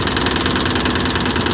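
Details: 2002 Ford Explorer Sport 4.0L V6, 5-speed, 250,000 miles, after coil pack and plugs replaced and seized alternator freed: quick, steady light ticking over idle; owner suspects misfire (no code) or exhaust leak.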